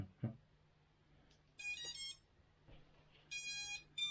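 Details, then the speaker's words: Beta95X v3 indoors before maiden flight, newly soldered RadioMaster Nano receiver: clean rising beep bursts repeated three times from the motors over a quiet room; normal arming tones, receiver light on. "So let's arm it, see what noises come up. Da, da, da, da."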